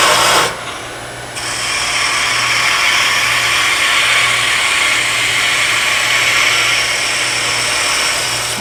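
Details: Wood lathe, skew chisel planing cut on maple, handle at correct height rather than too deep: steady even hiss of shavings for about seven seconds, no chatter or catches, leaving a smooth surface.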